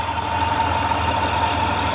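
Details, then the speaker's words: Warm idle after reinstalling parts and reconnecting the battery, heat on high: a thin, constant high whistle over a steady idle; owner thinks it may be exhaust or the heater, and it seems to fade after a few minutes; unidentified whistle. "Now I was told I turn on the heat, and it should be perfectly fine. Alright, so we still got some kind of weird ass noise."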